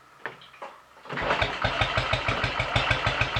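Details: Royal Enfield 500 after top-end rebuild with shortened barrel and exhaust cam advanced one tooth, warm, started by kick without throttle after ignition timing, throttle stop and mixture screw adjustments: fires after a couple of kicks, settling into an even steady thump about three beats a second; healthy start.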